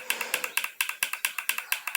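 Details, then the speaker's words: HHO hydrogen setup, vehicle injector removed and pulsed by briefly touching leads to free a stuck injector: crisp bright metallic clicks about eight a second as the plunger strikes the needle; normal injector clicking. "ela tá batendo esse barulhinho é do êmbolo dele bater na agulha tá"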